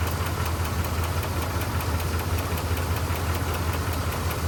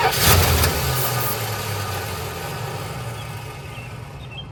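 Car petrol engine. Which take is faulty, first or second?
second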